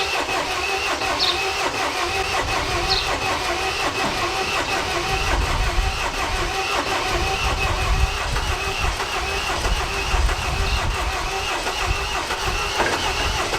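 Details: MINI R56 1.6 HDi DV6 diesel after extensive work, including the timing belt: starter churns the engine steadily for over ten seconds without firing; cranks but won't start, cause suspected as fuel not arriving or timing belt fitment.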